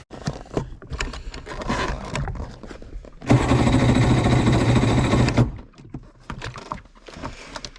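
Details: Polaris SL750 jet ski on a cold 38°F lake day, about two seconds of fast rhythmic cranking that never fires; no-start, owner suspects a nearly dead battery is contributing.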